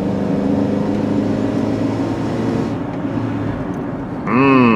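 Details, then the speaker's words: Older Honda CR-V that won't exceed 35 mph, driving at about 30 mph on cold engine: steady engine drone with whiny, air-compressor-like hum; loss of power, suspected excessive exhaust back pressure, probably unrelated to VSA and brake lights. "Because if we have a close listen, this thing sounds like we're driving an air compressor. I don't know if you guys can hear it, but we have what I would consider excessive back pressure."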